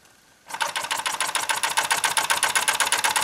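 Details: Small repaired steam engine, piston freed after an acetone soak, heated by a three-wick methylated-spirit burner, gives crisp, even chuffs about four per second that start up and hold steady; running properly.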